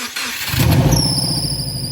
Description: In this video, I replace my worn-out V belt with a brand new HKS performance belt to eliminate that annoying squeaky sound under the bonnet.